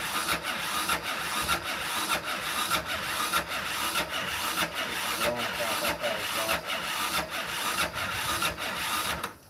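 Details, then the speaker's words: 2001–2006 Yamaha Raptor 660 (exact year unknown) cranking over very slowly on the starter during a compression test. The battery should be fully charged but reads 12.2 V. Sluggish, even chug of about 1.5 strokes a second. Slow cranking, cause not yet confirmed. "It's cranking over really slow too. These don't feel warm. And my battery should be fully charged."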